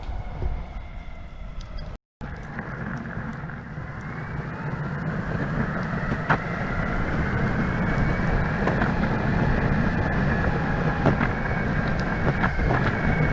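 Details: Brand-new Verreal RS electric skateboard (remote shows 18.8 miles) riding over cracks and rough asphalt: heavy rolling rumble with loud scattered clatter and faint motor whine rising with speed; motors quiet but the whole deck rattles loudly.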